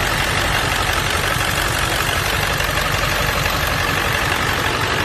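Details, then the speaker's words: 1999 Ford F-350 crew cab diesel, ZF6, about 299,000 miles, engine resealed with many new parts: steady clatter at about three beats a second, even, no knocks or misses; healthy normal idle. "sounds healthy very healthy truck"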